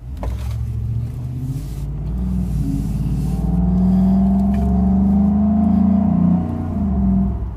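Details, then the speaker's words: 2012 Ford F-150 5.0L V8 after Spectre 9976 cold air intake install, accelerating from a stop on the road; deep throaty louder intake roar climbing in pitch, smooth with no misses or rattles. "as you guys can hear it's much throat here very much so"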